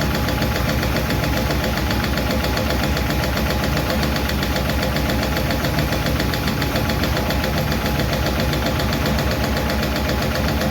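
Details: 1951 Chevy truck engine at even idle after starting, with fast, light clicking that keeps pace with engine speed from valve lash still loose on number 4 intake and number 2 exhaust; number 2 intake seems okay; owner may re-tweak those two.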